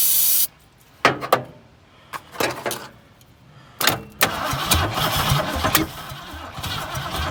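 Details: Dirt-cheap 1974 Ford Fairlane that sat in dirt, started by jumping the solenoid, ignition still unfixed; short cranking bursts with gaps, then it catches and runs unevenly a few seconds, firing only on starting fluid.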